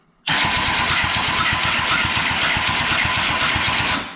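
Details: 2007 Kawasaki Ninja ZX10R, unknown mileage, ignition on: starter cranks at a quick, even beat for about four seconds but never fires; no-start traced to a disconnected Power Commander ground wire.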